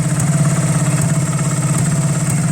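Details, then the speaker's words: Honda CB250 twin bobber project, warm, at idle: low and lumpy, popping and backfiring though both cylinders fire; it cuts out with more revs. The carb is known good; the owner suspects timing or valve clearances. "So we are cooking on both cylinders. But that popping is not great. That's interesting."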